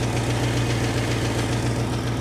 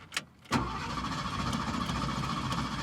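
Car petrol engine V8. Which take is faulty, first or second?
first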